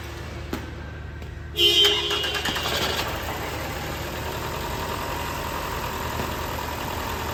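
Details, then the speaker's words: 2014 Toyota Camry 2AR 2.5L after misfire and shaking repair, fuel pressure lost from lines: cranks about a second, catches cleanly, smooth steady idle with no vibration; normal start and idle. "हां तो दोस्तों engine हमारा start हो चुका है"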